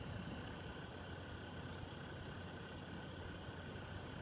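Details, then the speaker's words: Evercool 7025 70 mm replacement cooling fan, 3500 rpm, in a TiVo Series 3 HD (TCD652160) after boot settles: constant airy whoosh with faint high hum and slow pulsing "jum jum" sound; good airflow but noisy. "okay this is the evercool seventh model is this seven zero two five it's has great airflow but it does make a little bit of a i don't know if you can hear this"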